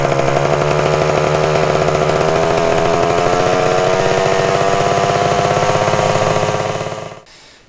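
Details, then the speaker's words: 1974 Honda MT250 Elsinore two-stroke, first start before restoration: screams flat out with pitch creeping higher, then cuts dead; runaway over-revving from a sticking throttle tube. "go that well the throttle tube was sticking and it was just a mess it almost blew up actually"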